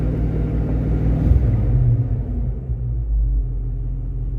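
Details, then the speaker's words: 1986 Ford Mustang 302 V8, first start of 2023 after sitting all winter, still quite cold: deep, even low rumble with a steady beat and no knocking or ticking; normal cold idle. "Well, she's idling. She's still quite cold, but she's idling."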